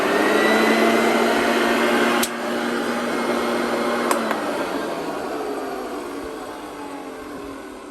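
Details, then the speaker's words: Hoover Junior 1354A Dirt Searcher vacuum run on 220 V through a converter, with no belt fitted because the old one was dry rotted: a smooth, steady motor whine with no rattle or grinding, winding down evenly; healthy motor. "i'd say it sounds pretty healthy i don't hear anything really wrong with it"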